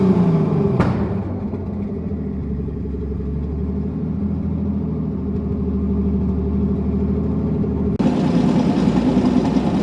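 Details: E81 drift project car's first start: even, steady running with a smooth low rumble and a short blip near the end; the engine sounds healthy.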